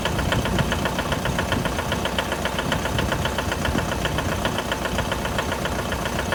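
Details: 2011 Mitsubishi L200 with 4D56 diesel at cold idle: sharp, rapid knock, roughly four per second, standing out over the diesel clatter; cold-start engine knock, cause unknown.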